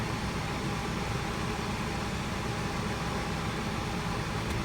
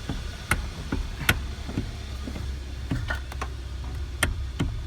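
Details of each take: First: 2012 Hyundai Sonata with electric power steering, key on while the wheel is turned, after replacing the small piece that caused the steering wheel clunk: a steady, even hum with no clunk or knock. Normal, quiet steering. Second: 2012 Hyundai Sonata with electric power steering, wheel being turned: sharp irregular knocks in the steering column from the worn rubber coupling on the steering motor (dealer part 563152K000FFF).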